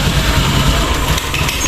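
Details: Honda Beat ESP scooter that stumbles when the throttle is opened slightly, won't rev and is hard to start: engine runs rough for a second, then the note sags and fades as it stumbles and dies; faulty fuel injector.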